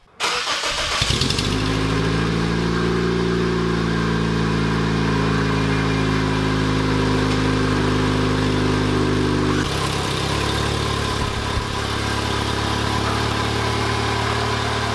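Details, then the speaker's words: Turbocharged Toyota Corolla after new muffler and gasket, cold start to idle: raspy, puffing chuff over the exhaust note; exhaust leak persists, apparently mid-pipe, needs more adjusting. "well I still hear an exhaust leak it sounds like it's coming from the middle again which is weird because I fixed it so it looks like we still have a little bit more adjusting to do"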